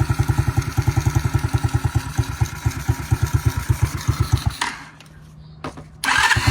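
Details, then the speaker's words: 2021 Kayo 70cc kids' dirt bike, nearly new (under 5 hours), after carburetor teardown and cleaning to cure a no-start fuel issue: started with key on and a little choke, crisp even popping at about eight beats a second until killed; normal running. "Hit the switch, power her on, flip the key to on for the ignition. It wants to run. Could give her some choke."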